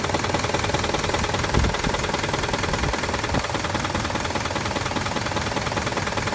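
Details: 2006 Jeep Grand Cherokee idling with codes C0700, P0307, P2097; fairly regular tapping knock about two or three per second, source not identified — engine knock at idle.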